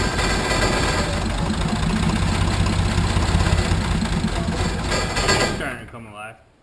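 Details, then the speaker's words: 1980 International Harvester Travelall, Nissan SD33 turbo diesel after fuel filter change, lift pump working. Uneven clatter that hunts on throttle and fades as air purges from the fuel system during bleeding and priming. "a lot of air in it. >> You hear it? Did you hear all the air come out of it?"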